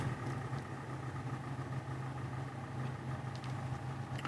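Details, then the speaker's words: 2014 Hyundai LF Sonata 2.0 (Nu engine), 140,694 km, ex-long-term rental, idling: busy, fairly loud mechanical chatter over low hum, typical Nu-engine noise but louder than on a YF Sonata; cause unclear. "예전에 제가 탔던 YF 소나타 뉴 엔진도 이런 소리가 났었거든요. 이 정도로 심하진 않았습니다. 확실히 소리가 다소 좀 큰 편이긴 합니다."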